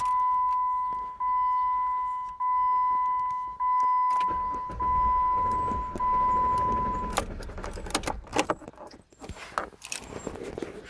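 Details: 2008 Jeep Commander restarted hot soon after a long drive: a steady high tone pulsing about fifty times a minute with no engine firing, continuing even with the key released until it is removed; starter and ignition switch already replaced; cause unknown.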